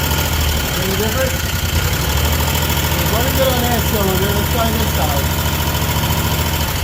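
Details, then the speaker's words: Used Cub Cadet zero-turn mower twin engine, not smoking: steady, even low rumble with regular beat, both cylinders firing with fuel and compression confirmed; normal running. "side all right down so so that's running good on both cylinders we know it's getting gas fuel compress all that"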